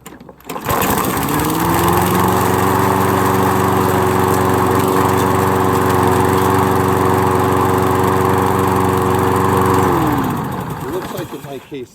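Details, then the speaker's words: Toro gas lawn mower that stalled right after starting, after carburetor cleaning and refitting the spark plug: catches and settles into a smooth, even, constant-pitch hum for several seconds, then winds down cleanly. Normal running. "did it actually so the good news is I'm back up and running I can continue doing what I need to do anyway good luck with your project"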